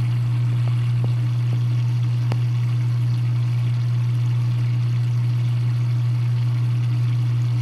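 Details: Dishwasher drain pump gives a loud, steady low hum with no water moving: energised but not turning, so it never drains; drain hose already disconnected and cleared with a hanger, nothing blocked found, water left standing in tub.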